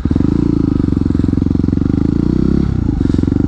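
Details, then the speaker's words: Yamaha WR250X supermoto single, no slipper clutch, downshifting without rev matching: fast thumping breaks into a brief choppy stutter as the clutch is let out, the rear tyre chattering. "what's that chatter noise? scared me there what's going on?"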